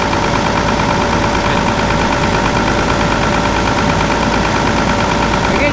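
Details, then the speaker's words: Gleaner F combine after clutch shaft bearing and pulley replacement, separator not engaged: steady engine idle with faint uneven shudder, no knocks; slight vibration, suspected from engine not running fully smooth. "a little vibration and I imagine it's from the engine not running 100% smooth"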